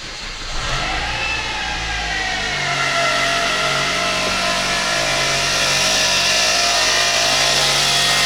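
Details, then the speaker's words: 2007 Kia Ceed 1.6 petrol, 150,000 km, first start after intake cam phaser replacement with a fresh oil fill: steady high whine at idle from alternator bearings, caused by an overtightened belt; loosening the belt cured it. "щось десь тре А що де тре що таке А що таке що за звуки такі неприємні га цікаво"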